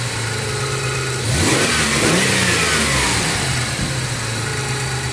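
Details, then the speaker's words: 1994 Toyota 4Runner 3.0 V6 EFI after fixing a vacuum leak at the PCV valve hose: idle picks up cleanly with a quick blip and settles back evenly, no stumble or hiss, less shaking than before the repair; normal revving. "see the idle is a little bit better there's not shaking as much"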